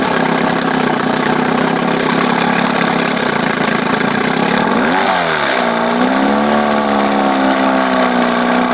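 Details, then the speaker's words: 1971 Johnson 20 hp two-stroke outboard, linkage slop moving throttle by itself: steady buzzy idle, then a quick rev that swells and sags back; over-rich running from a carb with a damaged high-speed jet someone tried to remove. "now if you remember this is the Corb that had this jacked up highspeed jet in it somebody had tried to get it out and it was all screwed up"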